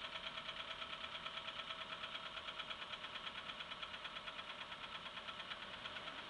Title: Стук двигателя